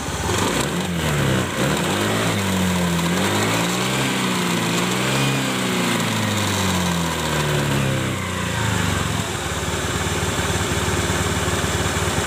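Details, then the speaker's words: Honda Beat-type CVT scooter after the worn, grooved rear CVT shaft end was ground flat as a temporary fix: the engine revs up and down smoothly with no grinding or rattle. The earlier harsh CVT noise is gone. "jadi Alhamdulillah ini suaranya tidak kasar seperti awal belum di servis dengan cara ini"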